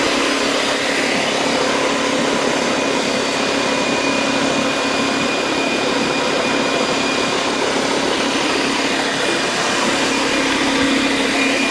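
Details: DeWalt D55146 oil-free air compressor, loud and not building pressure, switched on: harsh loud uneven buzzing clatter, trouble inside the pump/motor assembly suspected, not confirmed.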